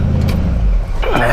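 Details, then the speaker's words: 1970 Buick GS, Buick 350 V8 after swap from two-barrel to four-barrel intake and carburetor; deep, even rumble with steady beat and smooth throttle blip, no miss or stumble, runs much smoother with more power. "some of that 70s muscle sound going to her now runs a lot smoother up here"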